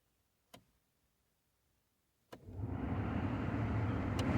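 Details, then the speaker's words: Ford Focus Mk2 (ST225) cabin heater blower: switch clicks on settings one and two with no fan, then blower rushes in on higher setting; only settings three and four work, fixed by replacing the heater fan resistor behind the glove box. "on my car you can hear that the fans don't kick in on the first and second settings they only work on the third and fourth if your fans aren't working in this manner you'll probably need to change this part which is the fan resistor"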